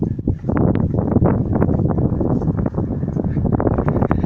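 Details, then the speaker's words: 2005 Toyota Highlander 3.3 with a power steering pump leak, steering wheel swung back and forth: uneven dull clunks and knocks, a minor hang-up; rack binding suspected, column and tie rods not ruled out. "just a minor hang-up in it basically and you can kind of hear it now"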